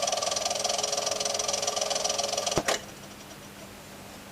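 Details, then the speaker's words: c.1960 Kriesler 11-79 radiogram with Monarch record player: mechanism whirs and rattles with a steady hum, then clunks and falls silent without starting; idler or motor suspected of the noise. "a bit funny with this startup that doesn't want to start"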